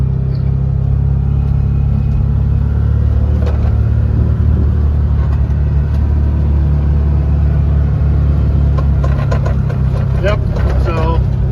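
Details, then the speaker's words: 2020 Can-Am Defender Pro HD10 in high range, road test after repairing driveshaft carrier bearing noise: steady deep engine and driveline rumble, no whine, growl or knock; suspected front driveshaft rubbing no longer heard. "I'm going to speed up a little bit and try to experience it but I haven't heard it yet and I think the problem is"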